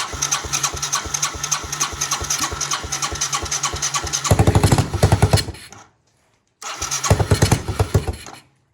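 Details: Yamaha 225DX Tri-Moto three-wheeler being restored, cold start without a choke cable: rhythmic starter cranking, then it catches with sharp, even firing, cuts out briefly and relights cleanly; healthy cold start.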